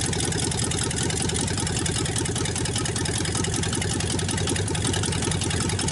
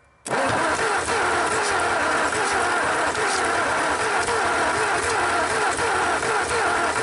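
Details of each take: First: 1954 Ford Y-block 239 V8 on its first start in 20+ years, after correcting the plug wiring order: loud, steady, lumpy exhaust idle with very little smoke, no knocking and no lifter ticking. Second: 1954 Ford Y-block 239 V8 on its first start in 20+ years: catches and runs rough, popping through the exhaust and carburetor. Owner suspects a wrong firing order or distributor position on the cap.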